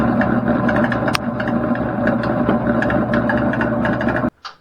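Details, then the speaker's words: NuTone bathroom exhaust fan: low steady motor hum with loud, irregular clattering knocks until it shuts off, sounds like it could shake off the ceiling; blower wheel loose on its shaft, fan no longer exhausting moisture. "Let me show you guys what I've been dealing with. I mean, that's horrible. The thing sounds like it's going to shake right off of my ceiling."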